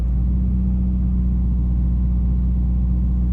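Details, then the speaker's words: 2000 Subaru Forester S Limited after cold start, warmed out of open loop: smooth, steady idle around 800 rpm with even low rumble, no knocks or misses. "Sitting at around 800, steady. Yeah, revs very smooth."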